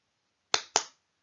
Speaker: Now you might notice that the clicks that are going on, there's no particular pattern to them. You can't predict when the next one's going to be.